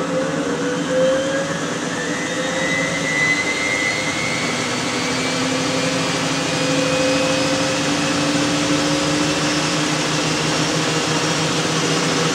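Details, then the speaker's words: Miele W562 washer, small load of woollens on Minimum Iron 30°C with Short and Water Plus, final spin run-up that then drops to 1,200 rpm. Smooth whine climbs steadily to full spin with no thumping or banging. Normal balanced spin. "it's gonna be I think the nice and balanced it's good"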